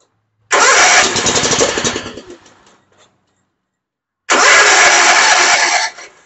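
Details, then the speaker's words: Mower that would not start, air filter removed: two crank attempts each catch in a rough burst for a second or two, then fade out; bad gas or carburetor debris suspected, no-start from fuel problem. "that's about all it'll do I'm actually shocked that it started up a little bit"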